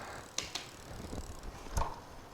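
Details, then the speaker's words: Magicycle Cruiser bike, 7-speed rear derailleur after adjustment, wheel spun by hand: soft freewheel ticking with a few crisp single clicks through the gears, no rubbing or chatter. Normal derailleur shifting. "Again, you're not hearing a bunch of click and clack."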